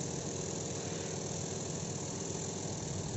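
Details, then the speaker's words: Washing machine spin dryer loaded loosely, not overfilled, to avoid gluduk-gluduk banging; slight vibration then stable, steady whirring hum at full speed with water draining, no banging. "kalau cuma sekedar getar dikit itu masih bisa jalan lalu akan stabil kemudian putarannya akan semakin kencang ini stabil ya pengering langsung airnya langsung jalan di sana"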